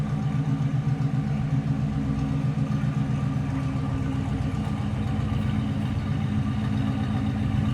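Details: 1941 Cadillac Series 62 coupe flathead V8 with a complete exhaust: steady, even low burble with regular exhaust pulses and no knocks or misses; running smooth, normal idle.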